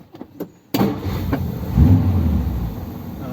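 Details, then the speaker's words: Ford Thunderbird V8 started after standing unused for a long time, in neutral: catches quickly and settles into a deep, steady, slightly uneven idle without stalling; sounds a bit better than on first start. "sounds a bit better than it did when i first started it"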